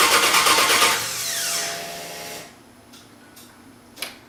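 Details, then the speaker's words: Starter spins about two seconds with a rapid, even whirr, never catches, then goes quiet; owner thinks he hears the fuel pump after reconnecting a loose wire, but air puffs out at the fuel check, so owner suspects air is keeping fuel from reaching the engine. "Well, check for fuel again. Okay, air puffed out. So I'd say fuel's not getting up here because of all the air."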